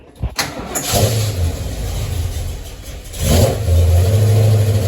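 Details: 1973 Mustang V8 after a 1G-to-3G alternator conversion, timing light on a plug wire, reading 14.19 volts: quick crank, catches cleanly and settles into a smooth, even idle after a brief rev; normal start.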